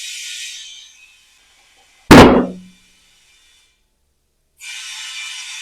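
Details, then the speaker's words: Off-road tire being remounted at home with balancing beads, valve core back in; a hiss of air filling, then one sharp pop as the bead seats on the rim, then the hiss resumes. "There's a pop. And then just go ahead and fill your tire up to the pressure that you like."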